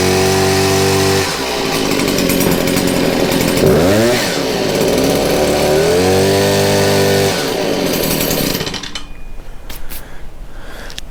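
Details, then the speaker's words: Stihl HS 81R hedge trimmer two-stroke on choke, owner reports low power and constant blue smoke; revs climb but stall short of full rpm and sag back, heavy smoke, burning too rich from a plugged spark arrestor choking the exhaust. "pretty much what it does it gets pretty decent but not all the way um and as you can tell there's a lot of smoke and from what i gathered last time that doesn't ever really go away and there's a reason for that it's because it's burning too rich"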